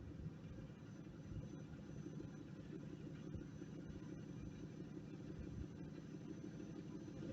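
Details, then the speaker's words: Fiat Stilo stock original exhaust with a large rear silencier: muffled, even low rumble that swells slightly as revs rise. Quiet, healthy factory exhaust; owner plans to change it and is thinking of replacing the rear silencer with a tube. "Le bruit que tu as entendu, c'est le bruit d'origine. Je compte le changer."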